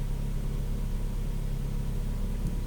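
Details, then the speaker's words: 2002–2006 Honda CR-V with K24 engine idling after tube seal replacement; now running much smoother, steady even rumble with no misses or shake. Normal idle. "sounds like it's running a lot smoother now I'm not hearing any more of that like you know went on Startup it's really idling nice it's pretty"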